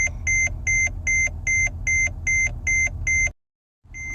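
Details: Mercedes-Benz E-Class with brake system failure, stuck in park: steady high double-tone dash warning beeps about two and a half per second over a low idle rumble, then a pause; owner suspects the ABS braking system, not confirmed.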